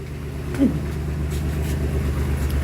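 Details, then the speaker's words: 2007 Dodge Nitro after fuel pump replacement and 6 gallons added following no-start: steady low even idle, nothing knocking or sputtering, no leaks; normal idle, now running again. "Okay, so this broke thing is now running again. Oh man, thank God."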